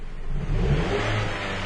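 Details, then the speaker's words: 2010 Chrysler Sebring with intermittent severe low power: quick throttle blip from low revs, engine note lags and stumbles briefly before building, tachometer delay; responsive at higher rpm; owner suspects vacuum leak though none found earlier, cause unclear. "let's let it settle down try again hitting the gas now there's a little bit of a stumble and there is a delay"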